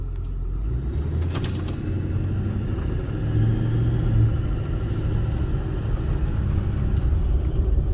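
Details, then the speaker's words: Ford 6.4 Powerstroke diesel: high thin whistle over the diesel rumble whenever on the throttle, loudest from a stop, gone off pedal; poor low-speed acceleration and about 40 miles less per tank; owner suspects failed low-speed turbo. "I'm getting about 40 miles less mileage to my tank since this whistle began. It occurs really loud from a stop."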